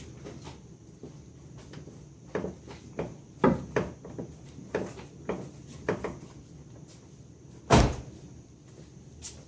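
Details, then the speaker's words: 2000 Chrysler Concord with popping and clunking from the steering, heard under the dash when turning the wheel: irregular dull pops and clunks from a worn inner tie rod bushing, fixed with a Moog K748 split bushing kit. "What that is is your inner tie rod bushing."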